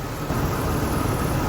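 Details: BMW E36 after radiator replacement and coolant refill, coolant system bleeding: steady, even low idle with no knocks, misses or hunting while warming up.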